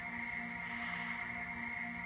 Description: Trying to determine the source of this interesting noise from a 2012 Prius.